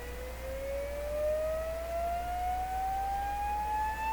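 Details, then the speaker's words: DeForest 10DA517 AM radio speaker, cone soaked for a suspected voice coil rub. A rising oscillator test tone shows a rattly edge at certain pitches, and the cone buzzes at three resonance points. "there's three points at which this thing buzzes right there"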